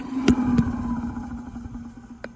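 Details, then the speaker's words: 1983 Maytag garbage disposal with a capacitor-start induction motor: steady low hum that spins down smoothly with no click, since it has no centrifugal switch. Healthy motor. "don't hear that click on the spin down because it doesn't have that kind of switch it's got a lot of power"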